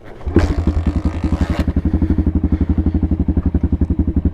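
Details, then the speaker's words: Apollo 125 RFZ dirt bike, cold start, in neutral, moved from full to half choke, idle adjusted for temperature. Small single-cylinder putter at a steady, even four pops a second after a brief blip: normal cold idle on choke. "so that's half joke guys so it'll it'll idle on its own I can up the ID a little bit of it if it wants to stall"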